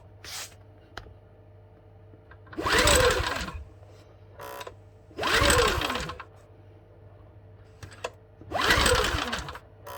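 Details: Champion 8200i-DF-EU dual-fuel generator, no start even after carburettor cleaning; three one-second cranking bursts with silence between, engine spins but never fires; flooded with LPG, strong flow and smell from spark plug hole.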